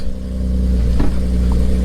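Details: Infiniti G37S (VQ) with Motordyne exhaust, after fixing a leak that kept getting worse while driving: deep, even exhaust note with a smooth rev and no ticking or puffing at the joints; the exhaust sounds sealed and healthy.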